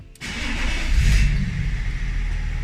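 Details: BMW E39 530d M57 3.0 diesel after replacing the weak low-pressure fuel pump, which caused long cranking and power loss above 3500 rpm: short crank, then it catches at once into a firm, steady idle with no stumbling; starts healthy.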